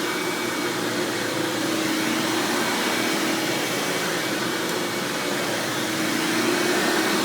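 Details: 1997 Hoover Dirt Finder Power Drive self-propelled upright vacuum, model U6331-930 (Elite style): smooth, even rushing hum with no rattles, surges or squeals; runs exceptionally smooth and fairly quiet; normal running.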